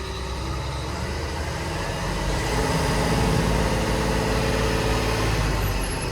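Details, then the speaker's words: Construction plant diesel restarted after the relief valve was reworked and all pipes refitted: even, steady running with a low pulse near four beats a second, no knocks or misses; normal idle. "okay as you can hear I've got it started after putting all pipes back on it"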